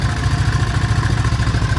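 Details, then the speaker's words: Kawasaki Mule 2510 with the 620cc engine, cold start right after a valve adjustment that cured a hard start: an even putter of about ten pulses a second with no missed beats, now idling long. Normal cold idle. "to make sure it started i didn't didn't have time to warm up but now it's idling very very long"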